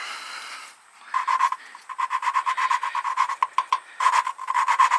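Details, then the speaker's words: Flathead engine valve being lapped by hand on a pitted seat: fast, gritty rasping of about five strokes a second, which grows more grindy after several passes. "hear how when i did it a few times now it gets more grindy sounded you know"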